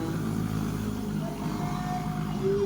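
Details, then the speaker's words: Yamaha Sniper 155 that would not start after being submerged in a flood, with a water-soaked air filter and water in the engine, after the water was flushed out: steady, even low drone rising slightly; runs smoothly with no misfire. "Pero ito na siya umaandar na siya Master ping pa natin aan maanda na po yan Master so ol good na mga Master"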